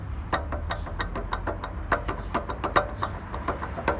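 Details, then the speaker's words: Mazda 3 MPS front suspension checked from pit: sharp, dry clicks repeating several times a second; front-end knock, owner suspects CV drive shafts, not confirmed. "короче ребятки плохи дела привода похоже стучат"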